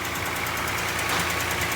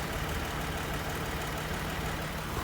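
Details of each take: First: Toyota Highlander 2GR-FE V6 at cold idle, heard from the side under the hood: quick, even knock over the engine note, piston slap, worse when cold; owner says no oil consumption, and there are no leaks. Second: Toyota Highlander 2GR-FE petrol V6 after overhaul for a cold piston knock, idling in about −40 °C frost, perfectly smooth and quiet with no knock from the rear, only a faint injector tick.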